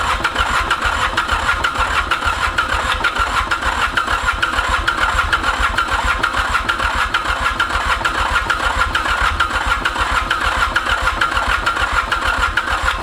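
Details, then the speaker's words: Ransomes Bobcat mower's Mitsubishi K3D diesel, unstarted 9 years, after a hit of starting fluid: steady starter churning about two beats a second with odd weak catches, never running alone; hard starting, cause unconfirmed (owner suspects overfueling, maybe head). "man this thing is so close to going you can you can hear it wanting to just jump huh"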